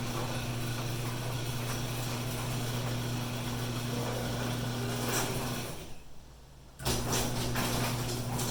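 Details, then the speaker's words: Coastal Florida garage door opener cycled after spray lubrication of rusty parts: opener motor hums steadily with light rattles from door travel, no harsh squeal or grinding, a lot less angry sounding. Normal garage door operation. "definitely a lot less angry sounding so yeah pick you up some garage door lubricant"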